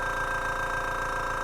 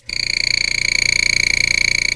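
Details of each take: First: Small Spraygunner airbrush air compressor running: steady, even motor hum with fast regular pulsing and no knocks or rattles. It cuts out at 57 psi and kicks back on at 43 psi; normal operation. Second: Airbrush compressor about two years old: loud, steady high-pitched tooting buzz with fast flutter; badly worn, being replaced, cause not identified.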